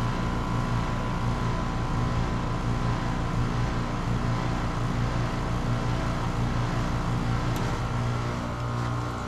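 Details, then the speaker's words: Newly installed 2.5-ton heat pump compressor at first start-up under rising head pressure: steady low hum, even pulse about 86 per minute, no grinding or rattle; quieter once loaded, normal operation. "assume you can hear it on camera how much quieter the compressor got once they got a little head pressure against it which are always a little noisy when you start them up for the first time"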